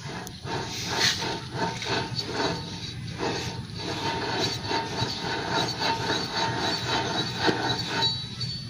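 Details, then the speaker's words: Car with a front humming noise while driving: a rusted, water-damaged front wheel bearing spun gives a rough, gritty rushing hum with uneven surges, worse under load. "so yan yung tunog ng pasa ng bearing umuugong na yan siya lalo na pag may load guys pagka nakababa yung sasakyan"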